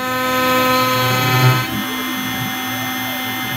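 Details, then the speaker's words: OpenBuilds MiniMill CNC router, early cuts in aluminum at axial depth reduced to 0.05: high router whine with a harsh ringing buzz; it struggles through slowly, and resonance chatter comes from the flexible frame. "And it's kind of able to get through it. It doesn't sound great. And there's it's fairly slow, but it can definitely create some resonances."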